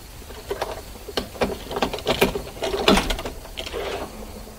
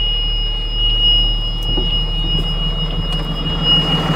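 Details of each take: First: 2009 Bluebird school bus with a Cummins ISB diesel, crank-no-start complaint: quiet clicks, then steady rapid starter churning, about four per second, that never catches. It cranks but won't start. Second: 2009 Bluebird school bus with Cummins ISB diesel running with its own ECM, before the ECM is swapped to a crank-no-start bus: steady low rumble, even beat, faint constant whine; healthy idle, ECM good.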